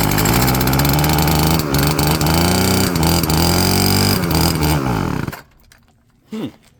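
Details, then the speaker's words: Old Stihl FS36 two-stroke string trimmer, bought as "runs on spray": buzzy engine revs up and down unevenly for about five seconds, then quits; runs only when fed extra two-stroke fuel, owner suspects fuel lines and plans carb rebuild. "It's on. That sounds promising. Let's give it a little bit more."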